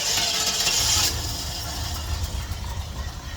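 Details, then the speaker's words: '89 Suburban V8 after new exhaust work, started with a couple of throttle pumps from a button: fast whirring crank, then catches into a low uneven rumble, stumbling a little; much quieter than before. "and she's trying there she lot quieter than before huh guys"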